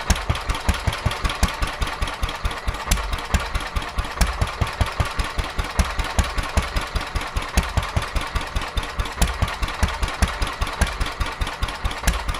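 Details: Petter A11 (A1 series 2) single-cylinder vintage stationary engine, owned 12-13 years, sat damp in a container for four years; slow thumping about two and a half beats a second, uneven and stumbling; rough running, owner suspects fuel starvation from dirt in the carburettor.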